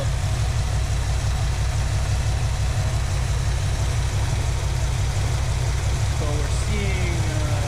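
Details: 1973 AMC Hornet engine (known to be a weak build) restarted after reconnecting a loose plug wire, possibly flooded: low, heavy idle with uneven lope and occasional stumble; rough idle, likely misfire, compression test planned next.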